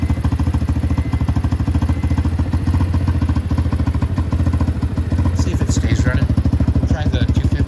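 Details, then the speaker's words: Cold 125 or 250 motorcycle, idling slow and uneven at about 200 pulses a minute, sagging, then stalling after about a minute; idle set too low or a minor vacuum leak suspected. "see this one's about to stall like here here we go so that one stall so I'm going to show you how to fix that"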